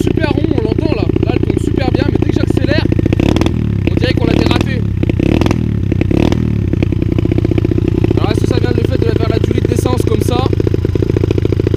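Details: 125 cc dirt bike after servicing, engine not fully warm and idling fairly smoothly: note breaks up and stumbles as the throttle opens, then picks up again; misfiring under acceleration, cause suspected, not confirmed.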